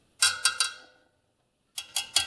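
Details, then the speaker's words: Honda SL125 wheel being laced and trued, with spokes rung with a tool while tightening about 1/8 turn each; bright metallic pings, and a loose spoke rings duller than the tight ones. "For instance, that spoke is not tight. You hear the difference in sound."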